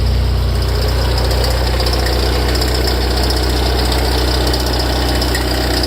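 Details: Ferrari F355 engine at cold idle: a light, quick ticking rattle about four a second from the front of the engine, starting tens of seconds after start-up; idle settles once it stops. Louder and longer after long disuse. Cause unknown.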